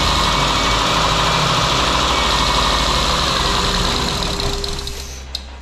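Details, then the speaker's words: 2008 Mitsubishi Eclipse that starts then stalls immediately: with fuel sprayed into the intake manifold it fires and runs rough for a few seconds, then sags and dies as the added fuel runs out, confirming fuel starvation; fuel pump relay next to check. "so we got it to run a long time or or longer time spraying fuel into the intake manifold so that confirms that we are dealing with a fuel issue because it ran on my fuel"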